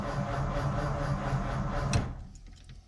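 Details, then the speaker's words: 1953 Ford Customline Club Coupe sitting about 15 years, unsure of fuel: starter turns the engine over evenly for a couple of seconds but it never fires; crank, no start, fuel suspected. "all right well cranks that's definitely a start all right well now we're going to get fuel up here i don't know if we've got any gas in it or not"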